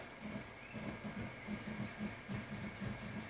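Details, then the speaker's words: RepRap Wilson TS 3D printer Y-axis stepper while its driver trim pot is turned clockwise to raise current; uneven thumping stutter about twice a second over faint hum as the motor stalls, then moves once current is high enough. "it's acting a little differently but still not right so I'm going to turn that up a little bit more clockwise is going to set higher limit now it's starting to move it doesn't seem real convinced just a little more now looks pretty good"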